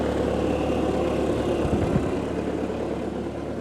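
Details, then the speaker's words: Bobcat T300 skid steer diesel idling after hydraulic and electrical repairs, hydraulic issue still outstanding: steady even idle with soft regular beat, no knocks or misses; healthy. "Y'all listen at that puppy run. The air condition even works."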